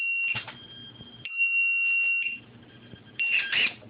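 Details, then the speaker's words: Lost-model beeper plugged inline between the rudder servo and receiver in a T20 RC plane; after 60 seconds without servo movement it emits loud, shrill high-pitched beeps in repeated short bursts, audible over 400 feet, and stops when the rudder is moved. "if you do to lose your plane all you have to do is not touch your transmitter as long as the battery's plugged in still you'll be able to hear that loud beep and it will and find a plane"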